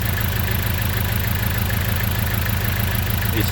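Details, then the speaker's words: Engine at idle with a failed ignition coil: rough, lumpy idle with an uneven beat of about 98 per minute, the engine shaking and unburned fuel smelled; one cylinder is misfiring. "as you can hear now the engine is a misfire and joking"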